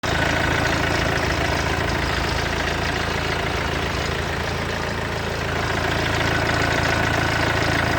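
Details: Mercedes W212 with OM651 diesel, cold start idle: a fast metallic rattle over the clatter for the first 30 seconds; owner suspected the alternator clutch or timing chain; fixed under warranty.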